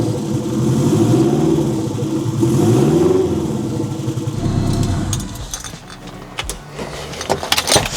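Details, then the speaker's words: Turbo Mazda Miata, built 1.6L with new head gasket, clutch and flywheel, new unequal-length turbo manifold, first start before exhaust built: two clean rev rises and deep lumpy burble; firing on all 4 cylinders, running normally. "It runs. Runs, seems like it's firing on all 4 cylinders."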